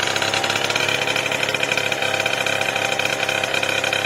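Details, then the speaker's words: Two-stroke Booster scooter on first start, warming up at idle, needs a jet; fast buzzy idle with ragged, uneven crackle; oversized decompression hose stops the carburetor drawing fuel properly, smaller hose to be fitted. "En fait, elle est trop grosse. Donc résultat, ça aspire pas correctement l'essence."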